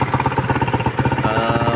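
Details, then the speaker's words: Suzuki Raider idling after repair: timing chain tensioner adjusted, something mixed into oil for thicker viscosity; compression-release tapping from head now gone. Even single-cylinder putter, no clatter. Normal idle. "So ayan dati malagatak yan oh yung compressor release ngayon wala na. Pati dito malagatak."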